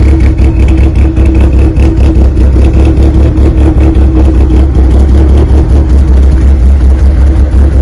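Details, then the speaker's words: 1995 Plymouth Neon ACR with a big cam: deep, loud, steady engine note with a slightly lumpy pulse and no knocks or ticks. Engine runs well. "now really you hear it it sounds great"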